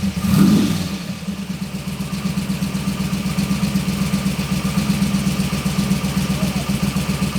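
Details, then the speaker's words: AC Cobra kit car, all-aluminum side-oiler 427 FE with dual 600 Holley carburetors flooding it with fuel: lumpy, loping idle at about four uneven thumps a second as if on six cylinders, loading up rich at idle and clearing smoke when revved. "yeah it's like it's idling on like six cylinders yeah and then when you you give it the suds then you can hear a leak come up yeah all right come in if you hold down beams up they Smoke Clears right but it seems to be just loading up at idle"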